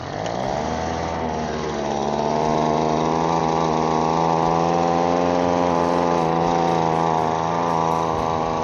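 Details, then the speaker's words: Recently repaired hand leaf blower that keeps flooding out, running with no choke: a high two-stroke buzz, fairly steady but soft and wavering, still loading up rich, so the mixture set screws are turned in another quarter turn. "All right, it still sounds like it's loading up, so we're going to bring those set screws in another quarter turn."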